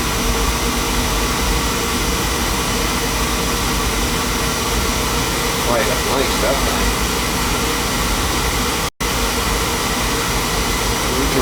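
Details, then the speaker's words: Beckett oil burner that starts hard at times, after new nozzle and new electrodes with good spark, oil pressure and flow; steady even roar without sputter, pulsing or dropouts; burner firing normally. "seems to be firing that there good spark good oil pressure good oil flow new nozzle new electrodes"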